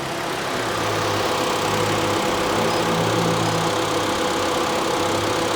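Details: Mitsubishi Outlander idling with AC on after compressor replacement and line repair, refrigerant charged on low side, gauges reading slightly low, cabin ice cold. Even idle hum with a faint steady pulse and low drone, no knocks or squeal; engine and compressor running fine.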